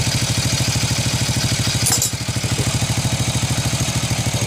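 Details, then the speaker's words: Honda Revo single-cylinder motorcycle after cleaning the clogged carburetor jet: even, steady idle at about two and a half pulses a second with a brief blip, now holding idle cleanly; white smoke reported at high throttle. "jadi teman-teman masalah motor ini terdapat pada karburator tidak ada supplier catnya terjadi penyumbatan terdapat kotoran maka terjadi penyumbatan pada jet pada karburator"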